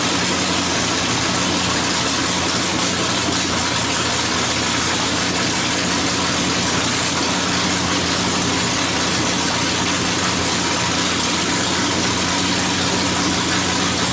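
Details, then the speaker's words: Dirt track race car, newly installed V8 engine, first start of 2019 after battery charge: loud, steady, even idle with no knocks or misses over fourteen seconds; healthy normal idle. "this is it. We are about to start the race car for the first time for 2019."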